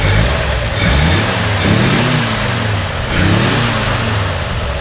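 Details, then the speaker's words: 1956 GMC 100 Carryall Suburban engine, started after a brief warmup: smooth, even note rising and falling through three gentle revs with no knocks or misses. Runs very smooth, like a sewing machine. "by the little warmup for a second actually runs really good very very smooth"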